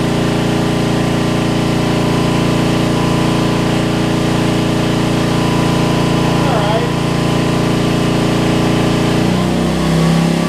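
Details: Homelite LR4400 generator after carburetor replacement, under load: it drones steadily for several seconds, then pitch sags abruptly near the end; the governor is slightly out of place, causing racing then big rpm drops.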